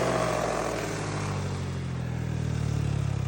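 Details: Yamaha NMAX V1 after repairing a strange CVT noise with new parts fitted: even, smooth drone with steady low pulse, no rattle or scraping from the drive; transmission sounds healthy.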